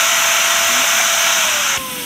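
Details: Shark vacuum running with a clog: loud rushing roar with thin whistle sagging in pitch as motor strains; airflow choked by a clog in the wand, where a big piece of paper was found.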